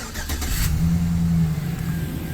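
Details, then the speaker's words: 2008 Chevy Silverado LT 5.3 L Vortec after replacing water pump with worn bearings/pulley play: cranks, catches and settles into smooth low idle, no knocking or rattling; runs normally. "That's it cranked up. No more knocking. Everything's good to go."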